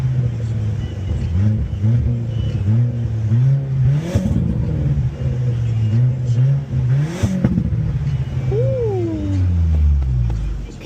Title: Audi a4 exhaust leak burble 😮‍💨 #audia4 #b5 #1.8t